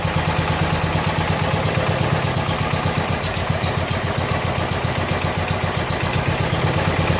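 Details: 1970 John Deere 140 H3 garden tractor single-cylinder, just after replacing a severely leaking blown head gasket: steady thump at an even rate, no misses or clatter; fired right up, runs good and quiet.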